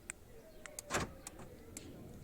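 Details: Renault Laguna central locking with aftermarket universal remote kit: quick lock actuator clicks with hazard-light relay ticking as open button unlocks and emergency lights react; clean unlock cycle; central locking working normally.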